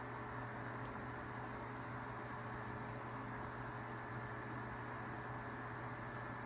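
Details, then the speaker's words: Tatung 12-inch LC-12 oscillating fan, likely 1980s: soft even motor whirr and steady low hum, no rattle or wobble; otherwise near silent, running normally. "so it has that really distinct whirring sound kind of similar to the galaxy fans and aside from that noise the fan is really quiet if you just eliminated that that whirring noise that i'm talking about it would be near silent"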